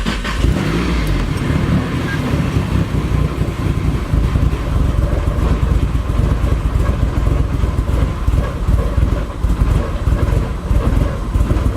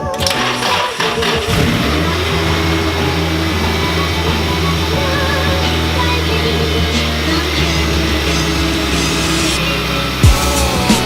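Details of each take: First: Nissan 240SX with SR20 engine after losing power at about 5,000 rpm: choppy, uneven idle with stumbling pulses, running super rich; reseating the MAF changed nothing; rough running later traced to a faulty wiring connector. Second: Nissan 240 with SR20 engine, previously losing power with choppy idle and rich AFRs, after reconnecting a coupler: steady even idle without hunting or stumble, AFRs and fuel pressure near normal; fixed.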